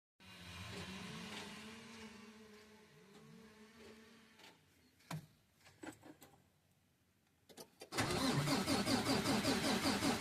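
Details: 2022 Mack Anthem truck diesel: starter cranks steadily about two and a half turns a second but never fires; crank no-start, lost fuel prime.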